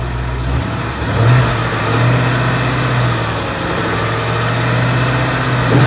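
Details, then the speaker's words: Stock 2014 Ford Coyote V8, 29,000 miles, heard from passenger side: smooth, even idle with low steady burble, no tick or piston slap; single click is AC clutch engaging. Sounds healthy. "AC was on at the end there. I kicked it on. You can hear it click on. Sounds healthy to me."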